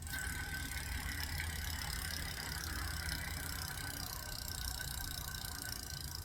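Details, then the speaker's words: Bicycle rear wheel with cassette and disc brake, stripped bare with tire, rim strip and disc removed, spun by hand: coarse gritty rasp with uneven ratcheting clicks, worn freehub body, before the wheel is replaced with a new one. "Now, the wheel is bare. Let's listen to that free hub body."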